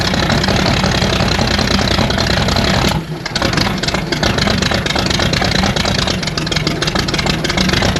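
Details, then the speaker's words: 1960 Chevrolet Bel Air inline-six, off the road 45 years, first run with no radiator or cooling system: loud, uneven lumpy tractor-like idle with irregular pulses; owner thinks timing might be slightly off; rough idle. "It's gonna idle. This thing sounds like a darn tractor."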